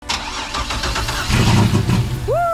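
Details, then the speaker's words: Turbo 3800 Camaro first startup after sitting two years: cranks, catches and stumbles into uneven lumpy run that never settles, with heavy black smoke; over-rich fuelling. "there's a lot of black smoke coming out that's the feel for sure"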